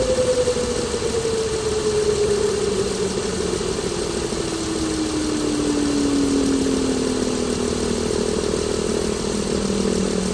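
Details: 2016 Chrysler Pentastar 3.6L, stated as about 2017 in a 2017 Dodge Ram 1500 regular cab, idling with a clear whistling tone falling in pitch over ten seconds; owner reports a massive cranking noise at start; cause unknown.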